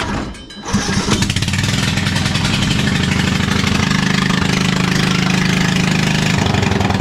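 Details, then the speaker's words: John Deere L108 riding mower; deck slows while mowing, muffler bolts previously fell out. Starting, then a loud raspy, uneven popping idle with rough shaking. Exhaust leak with exhaust unattached on one side, plus loose engine mounting. "Everything worked, but this is what's happening as he's mowing along. Now I said, well, have you done anything to this? Because the first thing I noticed, the exhaust isn't even attached on this side."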